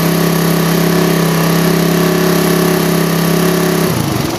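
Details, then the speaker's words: Single-cylinder motorcycle with a PE28 carburetor rejetted (pilot and main jets only), air screw not yet set, standard exhaust with baffle partly opened: steady high revs, then off throttle, clean and even with no popping; normal revving. "Ini belum saya setel angin sekalian mau setel angin sekalian kita geber-geber sedikit Seperti apa suaranya di sini saya pakai knalpot pipa laundry standar obok-obok ya"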